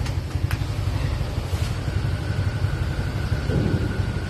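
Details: 2014 Hyundai Tucson after a no-start repair: a nut was added on the clutch pedal so it hits the clutch safety switch. Now starts on clutch and holds an even, low idle rumble with no misses, knocks or hunting; normal idle.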